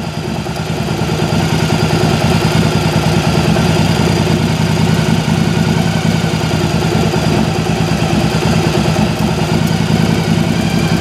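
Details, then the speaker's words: Yamaha V-Star 1100 V-twin at idle during carburetor sync with a homemade water manometer: steady low idle with even pulses, no hunting or stumble; running smoothly. "you can hear the engine actually is starting to sound better and it doesn't take much of a turn of that screw like just a quarter of a turn can throw everything off"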